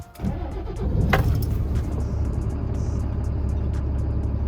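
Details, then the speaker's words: 2016 DAF LF Euro 6 truck after VTG turbo actuator replacement and calibration, no faults on diagnostics: diesel catches within a second and settles into a steady, smooth low idle rumble; clean healthy start. "so there we have it no fault just start up"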